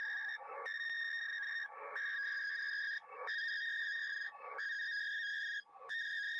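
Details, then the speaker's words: Washing machine interference heard on an HF receiver on the 40-meter band: repeating whistling tone bursts, about 45 a minute, with short gaps. There is no filter for it; the fix is to wait until the wash is done. "If you have a washing machine that sounds like this on 40 meters,"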